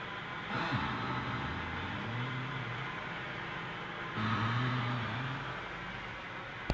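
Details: 1998 Ford Taurus on jack stands, steering wheel turned: two slow, low creaking groans then a couple of sharp clicks, steering creak when turning.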